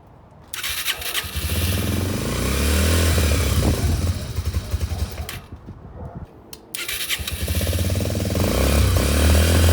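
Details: Yamaha TTR125 just restored, first run after reassembly, started with brake cleaner: the single revs unevenly, sags nearly to a stall and is blipped back up, won't hold idle; rough running.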